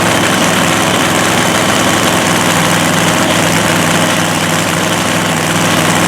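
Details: Blown 3,500 HP Hemi drag truck after an all-night rebuild following a 3-second pass. Loud, rough, lopey idle with deep rumble under constant blower roar; running on all cylinders.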